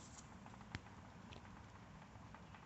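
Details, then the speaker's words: Good replacement caster wheel bearing from a mower's front caster wheel, installed the day before, hand-spun: runs almost silently with only a faint soft patter and no grinding, unlike the worn bearings being replaced after 415 hours. "Spins freely, no noise."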